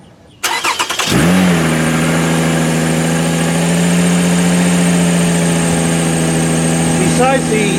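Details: Car with suspected bad alternator, first start in eight or nine days, cold, during a charging test reading about 14 V: starter cranks about a second, engine catches and settles to an even idle with a faint puffing tick underneath, an exhaust leak.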